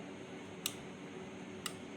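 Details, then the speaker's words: Continental Power Care 60 V 15 A e-rickshaw charger/inverter after replacing faulty driver capacitor, connected direct after series-bulb test: two crisp relay clicks over faint hum as it powers up normally. "अब ये direct मैंने लगा दिया इसमें। Relay की आवाज आई।"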